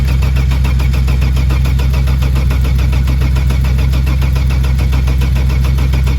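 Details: Saab 900 V6 farm car, previously driven into the paddock, fitted with its original battery: steady, strong starter cranking at about four beats a second that never fires; owner next checks fuel pressure.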